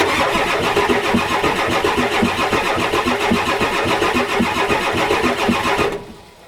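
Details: 1993 Ford F-250 7.3L IDI diesel: starter cranks about four compression beats a second for six seconds without firing; glow plugs disconnected, relay not clicking, ether used, battery weakening; owner also suspects return line, O-rings, injection pump.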